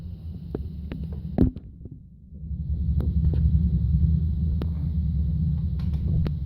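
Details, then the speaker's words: Low, muffled rhythmic thumping about three beats a second carried through an apartment ceiling with a faint hum, from an exercise machine used upstairs; structure-borne vibration heavily shaking the apartment. "what's going on right now in my apartment is the apartment is being vibrated heavily by this noise I hope you can hear it is the ceiling right here"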